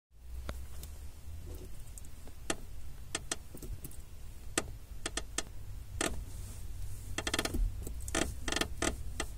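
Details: 2005 Honda Civic clutch pedal: dry door-hinge creaks and clicks each time the pedal moves, over a low cabin hum. Lubrication didn't help. Fixed by loosening the overtightened lower clutch cylinder mounting bolt and retightening it with less torque.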